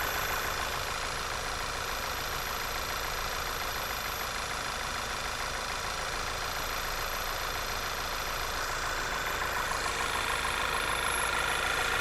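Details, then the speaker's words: A car at steady idle with a thin, piercing high-pitched squeal at constant pitch riding on top; the source of the squeal is unclear. "you hear that high-pitched squeal okay no it does"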